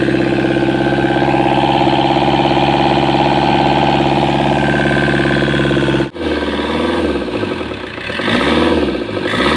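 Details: Komatsu engine losing compression: long steady cranking about three and a half beats a second, then it catches weakly and surges unevenly; hard starting.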